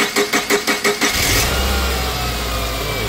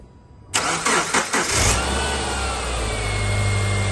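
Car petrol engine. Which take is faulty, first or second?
first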